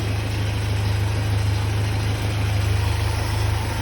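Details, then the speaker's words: Freshly rebuilt Land Rover 2.25 petrol engine on first runs, at low idle: steady even beat about three per second, quiet top end, good oil pressure; healthy, apart from an exhaust rattle somewhere. "Oil pressure. It's looking good. Top of the motor sounds good. Well, doesn't sound at all, which is good."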